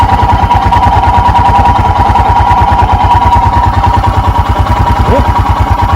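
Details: 2021 EFI Royal Enfield Himalayan single, cold, choke/idle lever down, idle crept up to about 1200 rpm: steady, even thump about ten pulses a second; normal fast idle during warm-up.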